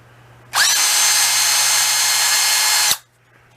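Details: Masterforce 20V 2-speed 1/2 in. cordless drill/driver, new, four-pole motor, low speed, running free with no load: steady high motor whine winds up, holds level over two seconds, then spins down cleanly; smooth, healthy.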